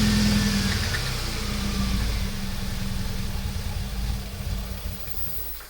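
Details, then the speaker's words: 1994 Nissan 240SX convertible running on cheap spark plugs: uneven, lumpy idle with a wavering low beat and faint hiss, settling as two vacuum leaks are held closed by hand. "this right here was a vacuum leak. And then this right here was a vacuum leak. So I'm gonna try to hold both of those closed and see if it'll run better."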